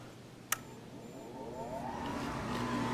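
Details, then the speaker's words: Gas power-vent water heater restarting after a sediment flush: a click, then a smooth whir climbing steadily in pitch as the vent fan spins up before burner ignition. Normal blower start-up. "this particular model is a power vent and momentarily we should hear the burner turn on and we have ignition just heard it turn on"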